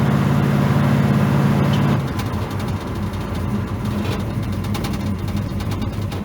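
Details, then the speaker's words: V8 truck on a test drive after fixing a dead cylinder, cruising at light part throttle, far less pedal needed than before: even, steady drone with no stumble or skipped beats; normal running. "it feels better under part throttle used to I'd have to be in the gas quite a bit and I thought that was hot so I'm barely in it now we're cruising pretty good"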